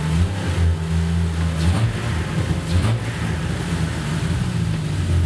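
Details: Jeep Cherokee XJ running after a new fuel rail was fitted to combat vapor lock and four-hole injectors were fitted: even low rumble at steady pitch with a couple of mild blips, no misses or stumbles, firing on all cylinders.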